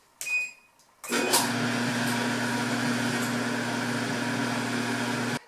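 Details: Whirlpool Cabrio WED6200SW1 dryer after replacing the belt tensioner idler pulley (8547174V) to cure loud squeaking: a single control beep, then a steady, even hum with no squeak.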